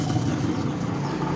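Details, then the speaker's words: Washing machine that would not spin, after replacing the spin capacitor and reconnecting the grey and purple wires: spin motor now runs with a steady low hum and even whir, no knocking or scraping, healthy. "ah dan tampaknya udah berputar ya kawan-kawan itu dinamonya di bagian"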